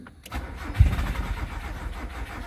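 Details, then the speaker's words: 1993 Nissan Sentra fuel-injected, after replacing burnt ECU and alternator, with check engine light on and spark confirmed; starter cranks with low churning rhythm about two seconds but never catches; crank no start, no fuel pressure from fuel pump. "Ang problema walang fuel. So ngayon i-start natin kung talagang hindi pa nag-i-start. Walang pressure yung fuel"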